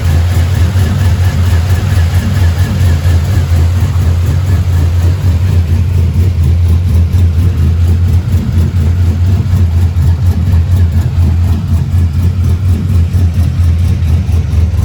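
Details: Truck with 6.0 LS built into a 6.2 with TSP cam, fresh motor, cold start after water pump replacement, warming toward 210: deep choppy lope a couple times a second, steady and even; normal cammed V8 idle.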